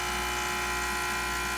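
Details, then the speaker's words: Breville 800ESXL with replaced ULKA EFP5 vibratory pump, long shot: steady even high buzz over constant hum, no sputter or strain; faster than before, when old pump struggled. "Wow, that's fast too, because I'm so used to waiting longer because of the pump struggling."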